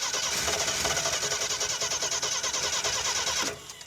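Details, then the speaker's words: AMC Pacer fitted with a Holley Sniper 2-barrel EFI kit: uneven cranking chug of about three turns a second that never catches. The fuel pump is not running, so there is no fuel delivery; a separate pump switch or EFI setup is suspected. "This has a Holly Sniper 2-barrel kit on it. Why is it not fuel pumping? Cranking. It sort of wants to run. I wonder if it might just be out of gas."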